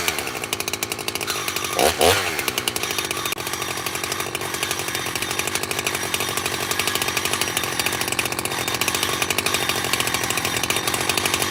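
High-revving saw idle carries a steady scraping rub over the engine buzz; the clutch washer is rubbing against its E-clip.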